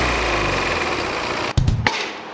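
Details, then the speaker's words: 2018 Volvo XC90 diesel, 137,292 km, heard at the engine front at idle: even diesel clatter with a light rattle underneath, pointing to a failing crankshaft damper pulley whose rubber separates; checked by marking the damper and seeing if the line shifts. "그래서 댐퍼가 나가면이 고무 부분이 떨어져 버리기 때문에 댐퍼를 확인할 때 이렇게 마킹을 해 놓으면 줄이 위치가 바뀌어 버리면 댐퍼가 나간게 확실한 거니까 그렇게 확인할 수가 있어요"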